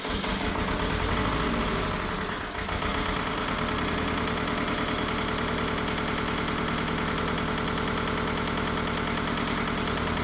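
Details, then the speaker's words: Mitsubishi MT372 diesel tractor: rough clatter settling after a couple of seconds into a steady, even idle with regular knocking rhythm; running normally. "Yeah, at least gonna fire up and stay running. Maybe."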